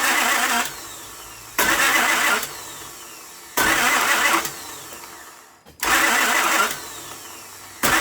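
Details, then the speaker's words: Honda car towed in with crank-no-start; starter engages intermittently in short bursts, cutting out and back in, engine never catches; ether gave no fire; likely worn ignition switch contacts not passing 12 V to starter solenoid, suspected. "That wasn't me cutting the switch off and on to start it up. So likely it needs an ignition switch."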